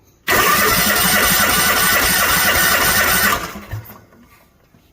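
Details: 2018 Cub Cadet Z-Force SX 24 hp 2-cylinder zero-turn mower during a compression test: steady, even starter cranking at about three beats a second for three seconds, then stops. Readings of 160 psi on cylinder 1 and 165 on cylinder 2, healthy and even.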